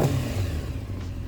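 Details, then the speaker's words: Honda CBR600F4, new battery, new throttle cables: starts on the button, short crisp rev falling back smoothly with strong intake roar, idle sounds perfect; healthy four-cylinder. "It starts on the button, battery's fully charged because it's new, and oh, it sounds so good. Even better when you hear the intake."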